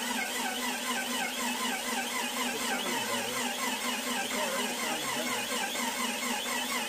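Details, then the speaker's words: Freshly built Jeep 4.0L on its first cranking, fuel pump relay out, with one cylinder slightly low on compression. A rhythmic high-pitched squeak wavers with each slow turn; the starter bearing or the alternator on that side is suspected, not confirmed. "the only concerning noise I'm hearing is some sort of squeaking noise but that could be the bearing in the starter itself or it could be that alternator it's on that side of the engine"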